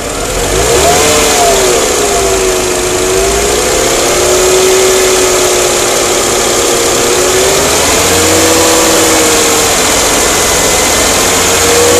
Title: Crossfire Engine Ticking Sound